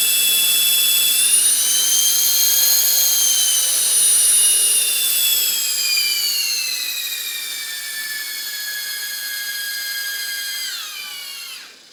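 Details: RC helicopter rotor winding down with a piercing, steady high-pitched whine that slowly drops in pitch. Main rotor shaft, motor, main gear, tail drive and tail pitch bearings were already oiled; the source is still unknown.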